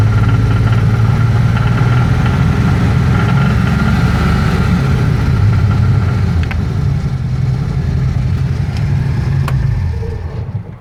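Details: BMW M30 inline-six near 2500 rpm: a steady drone with an uneven rattle of about three to four knocks a second riding on it; the cause of the knocking or rattling is unclear.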